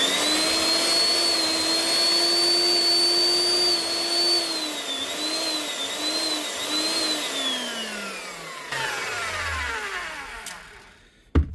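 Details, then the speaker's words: Eibenstock 1700 W machine reported not running: steady motor whine sags and recovers about three times, then winds down; power cutting in and out from a broken lead at the non-locking plug. "Could be just a broken lead on the plug which is not locking. I have to replace it anyway. No, it's a broken lead."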